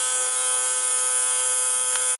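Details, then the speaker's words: Kawasaki GTR1400 fuel pump on bench test, bike stored about a year after misfiring: steady high-pitched electric whine, no change under load; motor spins but not drawing fuel, possibly not submerged enough or wrong way round, cause unconfirmed. "Of course, there's not enough, is there? This doesn't sound like it's going to that should be pumping really."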